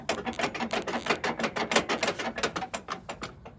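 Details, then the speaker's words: 1985 Toyota 4Runner, 22RE: tailgate hinges flopping back and forth, quick uneven metallic clatter about three knocks a second, fading out; a broken clip that might have held them in place is the apparent cause. "That's these tailgate hinges flopping back and forth. It looks like this clip broke, and originally it might have held those in place."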